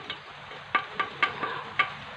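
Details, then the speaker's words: Polytron Slim CRT TV with a crackle heard through the speaker; the G2/screen resistor R624 is burnt. Sharp irregular snapping crackles over a faint hiss from arcing inside the CRT socket. Arcing in CRT socket. "Dan di dalam soket di sini, di dalam soket di sini ada percikan api."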